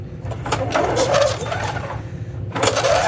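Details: 1998 Murray 20506x8a push mower from an auction, oil checked: two pull-cord cranks with a quick rasping turnover but no firing; cranks but won't start, cause suspected, not confirmed.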